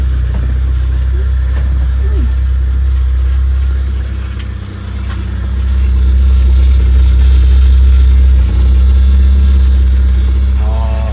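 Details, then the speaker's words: 1991 Vauxhall Nova GSi four-cylinder, off the road since 2005, idling after a cold start. The idle is steady and even with an unchanging beat and no knocks or misses, sounding good. "there we go oh sounding good guys sounding good"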